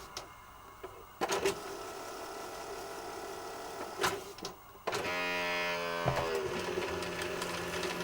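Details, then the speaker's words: Sanyo Betacord VTC-1000 Betamax VCR under service: clicks and solenoid clunks, then a steady whirring motor with ticking gears as the tape laces up and begins playing; normal tape lacing. "You can hear it lacing up now. And now it's playing."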